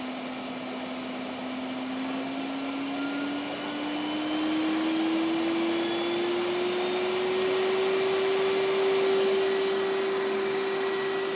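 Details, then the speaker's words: Hoover PowerMax Supreme 850 S3609 canister vacuum from the 1990s, switched from low to high speed: steady airy whine climbing smoothly in pitch, even and surprisingly quiet for its age; normal running. "This surprisingly runs pretty quiet for how old of a unit this is."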